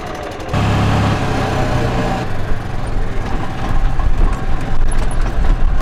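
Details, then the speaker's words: Old worn golf cart after a head gasket repair, with a broken bolt replaced and sealant used: steady low engine drone pulling away and cruising, the earlier air leak gone, only faint valve patter from the tired engine. "Well, I don't hear that air leak anymore. A bit of valve noise, but uh the thing's old and it's wore out. That's to be expected."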